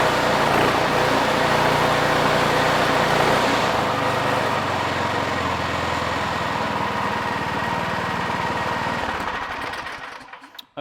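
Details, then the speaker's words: Craftsman 26-inch two-stage snow thrower with a Quiet Technology 270-QU engine that had sat for years, pull-started after debris was cleared from the carburetor. It runs steady and even for about ten seconds, then shuts down: healthy running. "okay so there we have it uh that little bit of debris that was in that carburetor was stopping it from um running"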